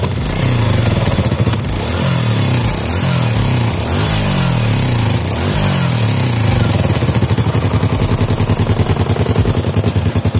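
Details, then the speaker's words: Fit-X New motorcycle after a repair for rough running: it revs cleanly and is no longer rough, with light popping when throttled caused by a leak at the exhaust port. "Nah, kalau untuk suara itu ini ada bocor di bagian lubang knalpot ya. Jadi ini adalah bocoran, sehingga ketika kalau kita geber gasnya itu ada kayak apa ya, kayak meledosan yang knalpot ya"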